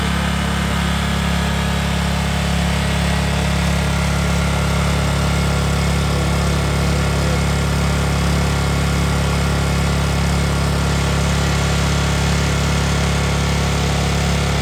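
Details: Generac generator started with a newly wired DIY remote-start system: steady, even engine drone at one speed with a regular beat and no misses or knocks; running fine.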